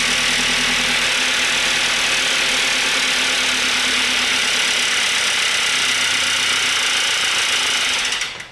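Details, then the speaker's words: Audi B5 A4 1.8T after a motor swap, first-start attempt. Loud, fast, harsh clatter like sand in the engine, steady with engine speed. The owner thinks it is too fast to be knocking and suspects dry camshafts or top-end valvetrain. "It doesn't sound like knocking, but it sounds like those cams are, I don't know, dry as hell. I kind of want to pull the valve cover and douse it in oil or something. That does not sound good at all."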